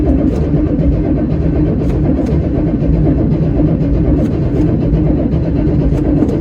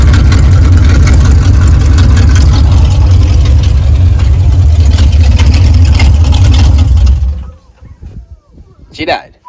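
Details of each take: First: 1979 Chevy Suburban 8-door shuttle, cranking, 30 psi oil pressure building: even steady cranking with no firing or catch; no fuel seen in the fuel filter, crank-no-start from no fuel delivery. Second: 1979 Chevy Suburban eight-door shuttle, first run after fuel manually pushed into the carburetor, throttle linkage messed up: steady low idle rumble with an even beat that cuts out briefly then settles smoothly.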